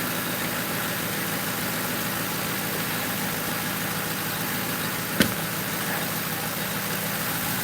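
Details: 2005 Crown Victoria police car V8 idling on a hot day after replacing the grounded No. 4 ignition coil and plug that kept blowing fuse 9; smooth steady low drone, no misses or stumbles; normal idle.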